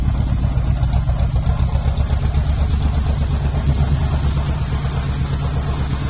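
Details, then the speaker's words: 1978 Pontiac Trans Am, 350 V8 with blower, aftermarket exhaust (one pipe hanging low, needs clamp): deep loping burble, even pulses, no knocking or ticking; no known knocks or leaks, runs and drives great, normal idle. "The engine doesn't have any knocks or leaks or anything that I'm aware of. It runs and drives great, but it is a project car."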